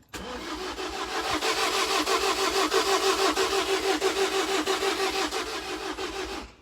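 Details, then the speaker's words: 2017 Ford Transit food-truck van that won't start; starter spins evenly about three turns a second with no firing or catch; owner suspects no compression, plans to open up the engine. "There's no compression at all."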